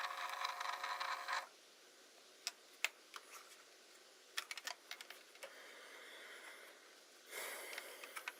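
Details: Hasselblad Winder CW: two short bursts of a high, squeaky motor whir with scattered clicks between them; winder drive squeak.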